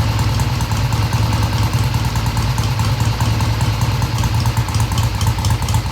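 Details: 1971 Triumph T120 650cc twin after carb adjustment of about an eighth turn: even, steady idle with a low burbling beat, picking up cleanly without stumbling and revving through mid-range; normal idle and revving.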